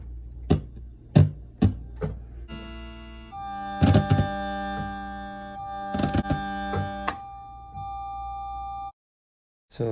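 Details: 1979 Roland RS-09 string synth, output capacitors already replaced: sustained string chords broken by sharp, irregular pops and crackles that come and go. Intermittent crackly output; a dropped-unit fault around the HA1457W chip is suspected, not confirmed.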